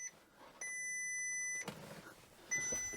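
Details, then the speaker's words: Crash-damaged 6.0 W12 Bentley Continental GT on first start attempt after new radiator pack: quiet cabin with two thin high chimes about a second each, backrest-not-locked warning alongside a system fault message. "Please start engine, it says. Okay. Backrest not locked."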